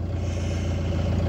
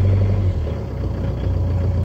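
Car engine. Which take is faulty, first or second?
first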